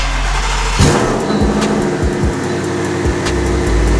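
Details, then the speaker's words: Twin-turbo Shelby F-150 street drag truck before muffler install, straight pipe: harsh blaring exhaust roar with sharp rev blips and crackle over deep rumble; far too loud. "goodness this thing is so loud"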